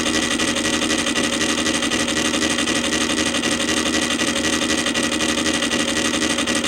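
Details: Columbia Graphophone AH after a motor service in which both dry springs, with powdered grease, were cleaned and re-lubricated, running with no record: even whirring gear chatter at about four beats a second at steady speed. A functional spring motor, just mechanically noisy.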